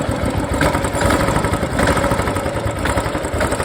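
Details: Royal Enfield Classic after repair for an odd noise on pickup: even, steady single-cylinder thump at idle with no knocking or ticking on top; the engine sounds healthy.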